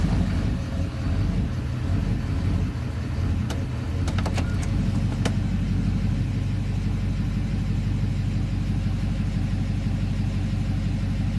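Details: 2009 Duramax diesel idling in drive: a deep, lumpy, uneven idle with a few sharp ticks; the rough idle occurs only in drive and the cause is unknown.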